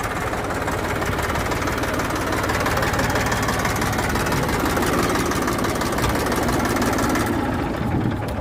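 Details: Massey 241 diesel tractor after engine rebuild, still being run in: even steady chug under light load with no knocks or rattles, running like new.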